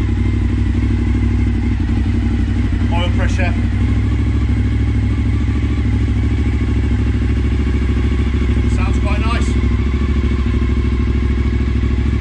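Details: Suzuki SV1000S V-twin from insurance salvage, first start with battery wired up; deep loping twin thump at steady idle, no significant knocks or bangs: normal idle.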